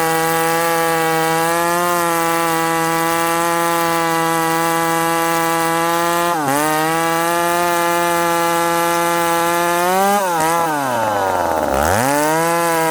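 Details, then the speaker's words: Ported McCulloch Super Pro 70 (70cc two-stroke chainsaw, possibly model 171), freshly fueled: steady high screaming revs, then pulling down under load and recovering; strong healthy high-rpm running. "hey friends did you hear that wicked rpm"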